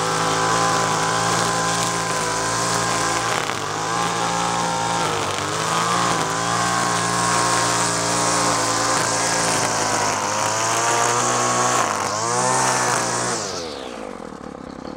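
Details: Free roadside Craftsman straight-shaft two-stroke string trimmer, carburetor high side leaned after four-stroking: screams steadily, dips briefly as it bites into weeds and recovers cleanly before shutting off; healthy under load.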